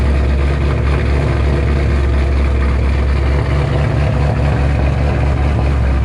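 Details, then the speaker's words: 2007 Shelby GT500 supercharged V8, first cold start after installing L&M NSR camshafts with Venomous Tuning tune: deep steady rumble with slight cam lope, no knocks or misfires; idle expected to settle lower when warm. Normal cammed idle. "first cold start with the normal idol and everything it's cold let's see how she sounds"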